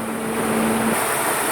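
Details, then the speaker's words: Peugeot 307 with the coolant temperature sensor unplugged: the ECU assumes the engine is overheating and runs the radiator fans at full speed, a steady, even rushing roar. "aç ve bu yüzden de motoru soğutmaya çalışıyor şu an kendisine ciddi anlamda bir hararet sahibi olduğunu zanneder durumlar"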